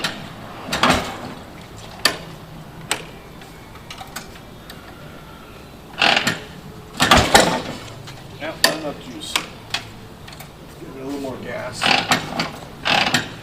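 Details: 1949 Harley-Davidson Panhead V-twin, original paint, being kicked over: irregular kickstart clunks with a brief gurgling sputter but no steady firing; engine not catching, hard starting, needs care to start easily. Cause not confirmed.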